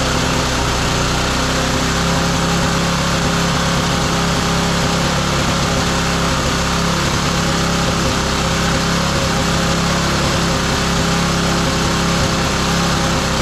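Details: Roadside-found lawn mower engine for the Tommy Gun mini bike (carburetor may need replacing): steady, even buzz at constant speed, no misses or surging; sounds healthy.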